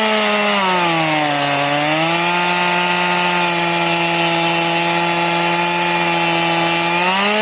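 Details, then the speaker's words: Crosscutting again with a chain filed to 10 degrees: a steady high motor whine sags briefly as the bar bites, then holds low and even through a long, slow cut. It is smooth but very slow. "So we're going to cross cut it again, but it's super slow."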